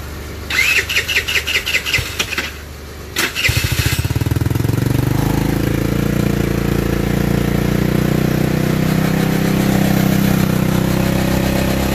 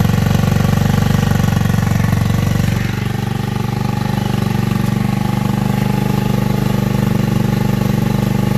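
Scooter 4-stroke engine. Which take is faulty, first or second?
second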